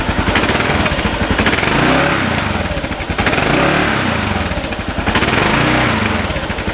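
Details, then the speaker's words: 2010 Kawasaki KLR650 single-cylinder revved up and down in waves, crisp thumping exhaust with no chirp on the rise; owner suspects the exhaust was already modified, so it sounds healthy. "so as you can hear there's uh doesn't seem to be any trip there so we'll rev It Up"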